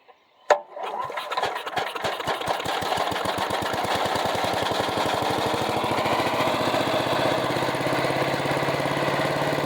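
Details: Resurrected direct-drive wood chipper, drum mounted on the engine: one pull and it catches, firing pulses settle into an even, steady chug with no misses or knocks; normal start and idle.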